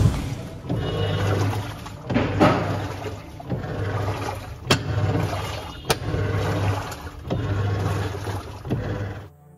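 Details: LG top-load washer agitating with a low motor hum and sharp clacks at each stroke reversal, louder from the front, due to a worn clutch gear. It is fixed by clutch assembly replacement.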